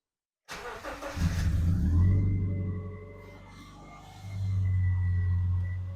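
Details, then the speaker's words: Subaru Outback with a replacement engine after rod knock, first start: cranks briefly, fires cleanly and settles into a smooth low idle with no knocking. There is an exhaust leak and no coolant yet; the engine is healthy. "so yeah I started it up it sounds pretty good sounds really good um it does have an exhaust leak for sure has an exhaust leak but the motor sounds good"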